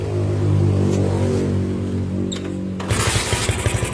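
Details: Honda Megapro single-cylinder motorcycle with charging repaired, started and run without a battery: steady running that picks up a quick even beat around four per second; normal running on its own charging.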